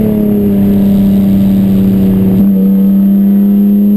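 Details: Chumpcar race car on track at Watkins Glen, where the misfire began midday Saturday. Strong steady drone at high revs, a gear change, then a faint irregular stumble underneath: misfire under load, cause unknown.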